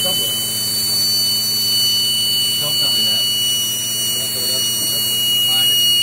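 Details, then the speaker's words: Boost leak test with hair spray, intake pressurised: loud, steady, high-pitched hiss of air escaping at the front of the intake. The boost controller is also found leaking. Big boost leak. "[Music] yeah I got it coming out the front right behind the bu that's a [ __ ] big boo dude a that's a mega nasty"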